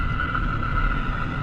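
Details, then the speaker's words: Car at speed, listened through a transmitter at the front left wheel bearing, louder there than at the number one transmitter: steady buzzing hum over road rumble that typically starts around 30-45 mph; worn front left wheel bearing. "that number two transmitter which is located in the front and the front left wheel bearing see how the noise is all the way over here when compared to the number one"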